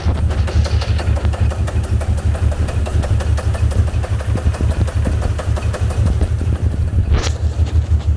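Uneven, lumpy idle with a loping beat around three per second; the V8 isn't running smoothly, a rough idle with unknown cause.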